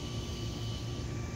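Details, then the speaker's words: Castle XL2 ESC in an RC car after replacing blown external capacitors: small ESC cooling fan hums steadily with a thin constant whine over low rumble, no rattle; ESC and caps not hot; fan healthy. "fan on my esc is working the esc is not too hot"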